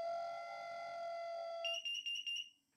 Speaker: have a listen is that my carbon monoxide alarm i can hear